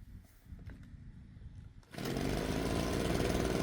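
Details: Husqvarna 130BT backpack blower that would not run, after fitting an aftermarket carburetor kit and new spark plug: near silence and handling, then the engine catches at about two seconds and settles into a steady even high buzz; normal running.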